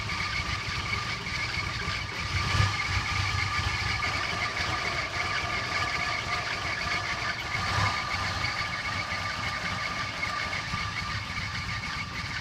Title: Cressida rough idle